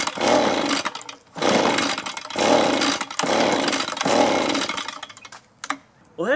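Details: Echo leaf blower that sat a long time, old fuel drained, choke on: revs surge in short bursts about every second, then sag and nearly die; not pulling fuel, gummed carburetor starving the engine.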